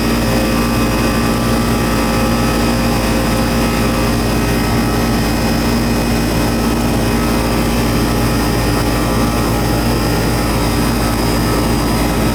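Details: Old Goodman AC outdoor unit running after the thermostat was turned down, with a puffy, swollen capacitor and the condenser fan previously not running: loud steady drone, constant low hum, even fan rush; compressor noted as somewhat noisy.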